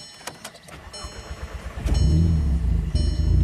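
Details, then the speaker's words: VW with earlier start-stall fault; after a repair, fuel pump now drawing 9 A (was 5 A), engine cranks briefly, catches and settles into a steady, even low idle with no stumble; fuel pressure back to 40 bar, no DTCs. "All right, moment of truth here. Everything's plugged back in. Should fire right up once it builds fuel pressure."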